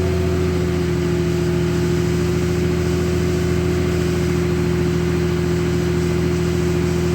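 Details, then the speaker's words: 2003 Dodge Ram 3500 dually, AC switched on to lock the fan clutch at idle: steady loud whooshing roar with firm mid-pitch tone over even engine run; fan clutch engaged, no trouble codes, owner unsure clutch is healthy. "Now let's put the AC on. And the fan should lock up. Oh yeah, you can really hear it now."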